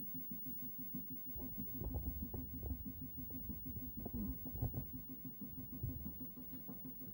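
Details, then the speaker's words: Commodore 1570 disk drive, after repair, loading a game on a Commodore 64: soft, irregular chattering of the head stepping during a directory read. The drive no longer spins continuously and loads normally. "as you put the disc in the drive starts to spin we'll put the disc in you can quickly do a directory read i'm gonna go with the full directory read we'll go for loading of the game"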